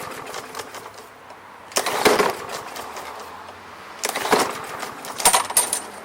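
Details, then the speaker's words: Briggs and Stratton lawn mower (MTD), no primer, oil clean but slightly overfilled: separate pull-cord bursts of whirring with no firing or catch; cranks but won't start, owner suspects carburetor fuel problem. "now this is no primer or else there'd be a big red button there we'll see what happens let me say it's not going to"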